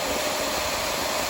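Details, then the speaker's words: Shark Lift Away Deluxe vacuum, reassembled after its very dirty filter was cleaned to fix lost suction and a loud sustained shhh sound: a steady airy rush with a constant mid hum and no flutter; normal running. "Clearing that all out, went ahead and solved the suction problem. So that filter was just very dirty and needed to be cleaned out."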